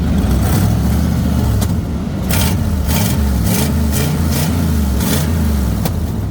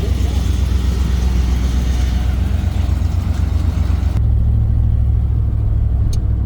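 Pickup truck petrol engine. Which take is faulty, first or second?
first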